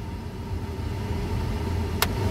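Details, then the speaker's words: 2006 Chevy Colorado 2.8L after blower motor and resistor replacement, run through fan speeds; smooth, even mid-pitch hum with no bearing growl or rattle. The old worn blower's bearing play made noise. Normal blower operation after repair. "and there she goes and she sounds good guys"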